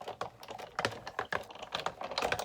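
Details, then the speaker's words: Die fed through a manual die cutting machine at an angle, easing stress on the die's straight edge: light, even clicking with no clunks or resistance, running through easily and quietly; smooth die cutting, unlike the clunkier straight feed. "just runs through really easily, really quietly."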